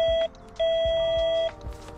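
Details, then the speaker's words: LAMAX eRacer SC50 electric scooter's electronic horn: two loud, steady beeps, one short and one longer, even in pitch; fairly loud and working normally. "pomerne hlučný myslím si že Všetci naokolo budú vedieť že prechádzate s ním"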